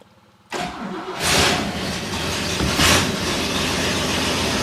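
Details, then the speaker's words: 1963 Oldsmobile, first start after replacing a leaky mechanical fuel pump with an electric one, choke set: catches at once, revs up twice briefly, then settles into a steady, even idle without stumbling; no leaks seen. "well it fired up not seeing any leaks there"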